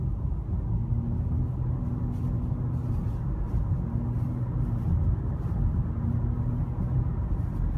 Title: 2017 Civic EX humming sound at around 1800 rpm